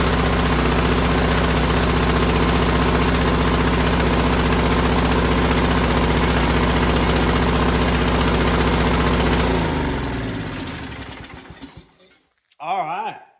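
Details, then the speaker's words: Vintage MTD tiller 218-430-205, 5hp Tecumseh single, carb air cleaner missing, old black oil: runs steady and even at fast idle about ten seconds, then winds down and stops; normal running. "Got her running. Got her chilling."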